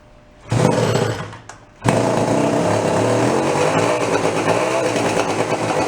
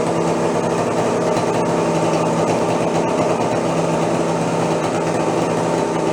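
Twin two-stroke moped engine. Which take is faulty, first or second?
first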